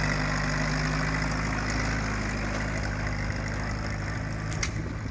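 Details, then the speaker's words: Allis Chalmers B tractor on its first drive under its own power in about 28 years after restoration: a steady, even low beat at about four pulses a second, a normal healthy run; the miss-like thumping is a nearby hit-and-miss engine, not this tractor. "what sounds like a Miss is actually hit miss engine running next to it so ignore that"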